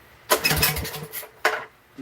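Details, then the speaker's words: $50 junk small engine, choke off: a couple of quick pulls, it catches for a second and dies; fuel starvation, an added plate with gasket and silicone stops the carburetor drawing fuel; runs only when choked. "So, just like I said, this little plate that they put the gasket and the silicone It's not letting it pull it in. And you can hear it. It tried to run there."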